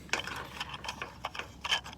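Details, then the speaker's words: Pool cleaner back-up valve after fixing a stuck/slow-closing valve by sliding the small gear back down onto its bar: light quick clicking and ratcheting of small gears turning freely, no binding or skipping; normal gear train operation. "by pushing it down onto the bar, and problem solved. Okay, it's fixed. You can hear the gear in there turning."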